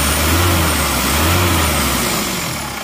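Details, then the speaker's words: Isuzu Panther LS automatic diesel, after fourth engine overhaul in 7 months, started after replacing aftermarket 13 mm racing rotor head with correct one: even, steady smooth idle, no roughness, vibration much reduced versus the 13 mm racing part; normal idle. "Sekarang mari kita starter ternyata suaranya jauh lebih halus dan lebih rata"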